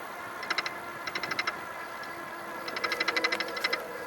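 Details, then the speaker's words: Juiced Bikes CrossCurrent e-bike climbing an incline at about 20 mph on cruise control: light ticking rattles, about three a second, come and go with wheel rotation; the fender was installed off-centre on the wheel and rubs. "noise you're hearing is the I need to fix that the fender is when it was installed wasn't placed exactly in the center of the wheel so it's getting this imbalance so I'll fix that"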